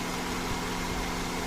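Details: 2006 Toyota Camry automatic idling after its no-start issue was repaired and a test drive, checked for stalling: a smooth, even idle with a steady low hum and no misses; the idle is normal.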